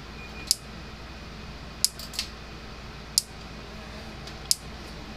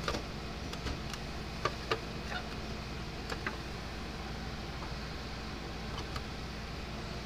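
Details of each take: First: Gallagher M300 electric fence charger after repair, powered on and working: sharp dry ticks about every 1.3 seconds in a quiet room, charger pulsing; clicking suspected to be arcing somewhere, not confirmed. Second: Older Gallagher M300 electric fence charger after repair, on test: faint sharp ticks every second or so over a quiet hum; pulsing normally again.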